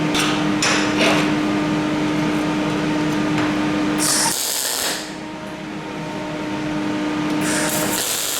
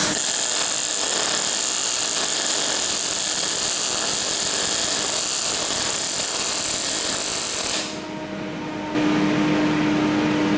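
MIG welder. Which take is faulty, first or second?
first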